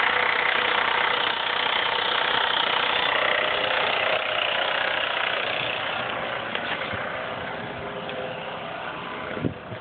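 A fast, steady clattery rattle riding over the idle, about four beats a second, pointing to a loose timing chain.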